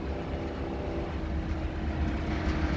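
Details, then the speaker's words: RV with an extremely loud, rough roar from the engine compartment whenever the accelerator is pressed, growing as it revs. Leveling system is beeping with a light flashing; owner suspects a loose belt, unconfirmed. "there's a really loud noise coming whenever i hit the accelerator there's just an extremely loud noise coming out of the engine compartment"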